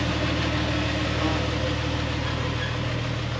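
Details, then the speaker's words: 1999 Jeep Wrangler TJ driving after a transfer case repair: a steady, even, smooth drone with no clunks or whine. The transfer case sounds good, and the owner suspects the remaining noise comes from a differential. "and from here it sounds good so it's just the D"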